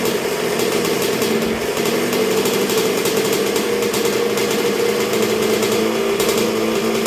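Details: 1986 Honda CR125R two-stroke at first start and break-in after a new top end with a .060 over Wiseco piston, warming through heat cycles while idle is set: steady, even idle with a crisp ringing exhaust, no misses or hunting; healthy.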